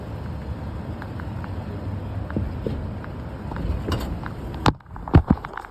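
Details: Toyota pickup truck while driving: sharp, irregular suspension clunks and clicks over the road rumble, a noise that started as a small click and worsened into a clunk.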